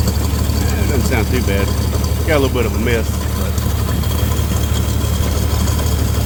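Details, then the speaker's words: 1962 Dodge M37 that sat 40 years, fitted with the wrong spark plug wires and regular plugs (the waterproofing-type ends were cut off): low, steady idle with an occasional stumble. Slight misfire at idle. "it doesn't have the right spark plug wires on it or the right spark plugs, I should say."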